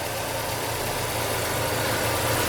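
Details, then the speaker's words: Fiat Palio petrol engine idling smoothly and evenly after timing belt (Daico) replacement, new coolant cap, about 99,600 km: zero noise, no ticking, whine or rattle from the belt area; normal idle. "Tem um segredo aí. Aí. Zero barulho."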